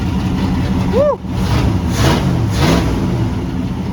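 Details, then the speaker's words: 1979 Ford Bronco after running a red wire direct to battery positive: engine catches right away, steady even idle with smooth throttle blips; healthy. "let's go sounds pretty good eh not bad"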